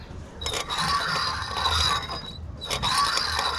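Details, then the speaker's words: Italika motorcycle (WS), rear wheel turned by hand on arrival check: repeated metallic scraping passes with a thin high ring each revolution; suspected dragging brake, not visible or confirmed; bike also sounds somewhat noisy when started. "que es como si, al parecer no trae freno, no se alcanza a ver, pero ese es el ruido que hace. Entonces qué bueno que lo notaste, Héctor, porque puede ser que se esté frenando la moto."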